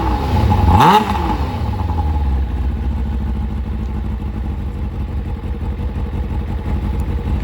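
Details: Kawasaki ZZR600 after fitting a Micron exhaust and carb resynchronisation, now starting first time: short rev blip falling back to a smooth, steady, deep idle with an even throb; normal idle.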